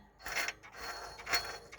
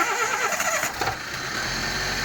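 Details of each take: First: Daihatsu Sirion that overheated, belt removed, water pump pulley turned by hand: dry gritty rasping from the worn water pump bearing; pump found badly rusted and replaced. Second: Daihatsu Sirion first start after replacing the water pump that caused overheating; engine catches quickly and settles into a smooth, even idle with no grinding from the pump and no water leaking.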